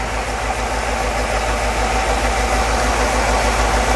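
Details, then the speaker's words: Petrol engine after a bad fuel distributor rebuild: lumpy, loping idle; cylinders 6, 7 and 8 give no reaction when unplugged despite strong spark, so they are dead, and the engine dies out when accelerated. "no reaction so six seven and eight these three cylinders are dead they're not working"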